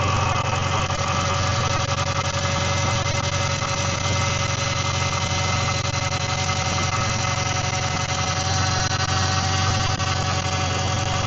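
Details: Car idling after fresh power steering fluid was added: steady, even idle with smooth low hum, no whine or knocks.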